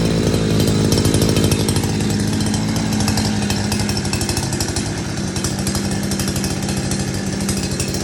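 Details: New two-stroke petrol Go-ped style scooter running after a choked first start; crisp fast buzzing note at steady speed with even firing, healthy.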